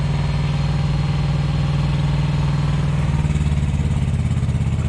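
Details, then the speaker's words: Thermo King Evolution truck APU diesel warming up after inspection and repair, barely audible from the sleeper; a steady, even idle whose note drops and settles as the air conditioning compressor kicks in; still smooth and healthy. "yes very nice from the inside from the sleeper you barely hear that the reefer unit's louder than that is"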